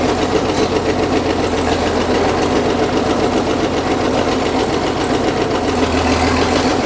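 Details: Caterpillar D6 9U diesel at steady idle with a loose, uneven knock a few times per second. A leaking injector is suspected; the knock was later traced.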